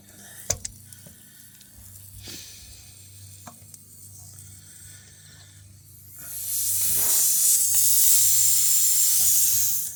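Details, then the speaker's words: Tire punctured by a nail during plug repair: a few handling clicks, then a loud, steady, high hiss of air leaking out at the puncture. "I can hear it starting to leak."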